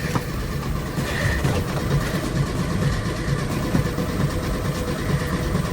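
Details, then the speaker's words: VW Super Beetle Volksrod engine cranking but not starting: low, slow, uneven churning that never catches, because the ignition points were disconnected to avoid frying them with the ignition left on. "oh you know what i know why it's because i disconnected the points so we don't accidentally fry them while we leave the ignition turned on that's why it's not starting"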